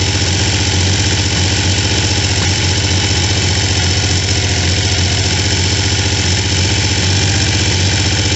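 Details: Triumph T150V triple after heads and cylinders were removed to fix numerous oil leaks, started on second kick (first kicked back), phone moved around; steady even low idle burble, consistent firing, no knocks or misses; normal idle.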